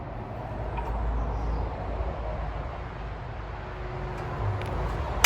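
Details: Very early 1954-55 Suffolk Iron Foundry Model 1A small engine, cold, running on a substitute carburetor since original passes no fuel; steady low thumping with a loose light rattle on top: rattly running.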